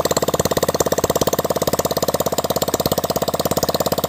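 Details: Hero Splendor single-cylinder after full engine rebuild, oil pump serviced and gasketed, clutch refitted, first start; fast even beat about twelve pulses a second, no knocking or missing. Normal idle.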